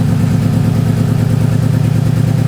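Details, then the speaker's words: 2009 Subaru WRX swapped from EJ255 to JDM EJ205, warming up, new plugs and good compression: deep boxer burble at idle that stumbles and lopes, smells of raw gas, smooths with a little throttle; misfiring. "this what it does when it warm starts to warm up all you smell is raw gas and it [Applause] misfires this is Lally what it does"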